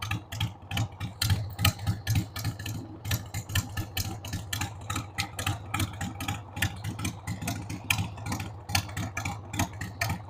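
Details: 1993 Harley-Davidson Sportster 883 Evo V-twin, sat about 15 years, running on a dead battery after starting fluid: loping idle with uneven, stumbling pulses about once a second, missing and catching; rough idle, owner says the carb needs cleaning.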